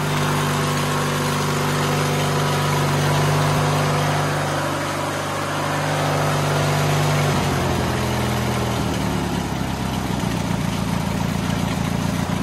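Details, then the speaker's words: White LT1650 hydro riding mower, Briggs & Stratton twin, after intake change and throttle cable move, max RPM set to about 3500; steady even fast putter, no misses or knocks; runs good, normal running. "Sweet, runs good. So in case you didn't notice by the video, the max RPM range online, they're saying 34 to 36."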